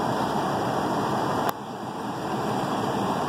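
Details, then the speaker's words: Lennox upstairs heat pump on emergency heat, blower drawing 1.4 A after a no-blower complaint: smooth steady air rush with a clean hum and one brief click; blower motor fine, failed ice cube relay to be replaced. "So we know that this blower is working and everything is gonna be just fine if we swap that relay out."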